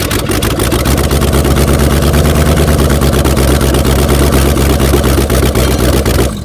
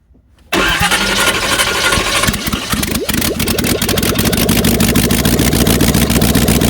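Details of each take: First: 1994 Chevy C1500 Silverado 4x4, 350 V8 with aluminum heads, small cam, running with no headers or manifolds after adding timing; loud raw uneven crackle and lopey idle; may still need another degree or two of advance. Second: 1994 Chevy C1500 Silverado 4x4 with 350 small-block V8, aluminum heads, small cam, run with open heads (no exhaust): cranks, catches and settles into a loud, raw, crackly unmuffled V8 idle, running steady and healthy.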